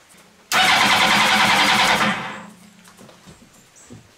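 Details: Motorcycle-engined 4WD mini trophy truck with cheap eBay ignition: steady starter whir about a second and a half, then nothing; cranks but never fires, no spark despite tilt sensor up and kickstand switch bypassed.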